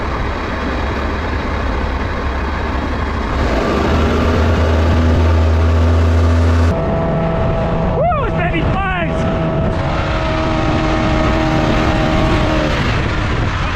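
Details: Restored outboard boat engine under load on the water after restoration: steady deep drone holding even, no misses or knocks; running healthy.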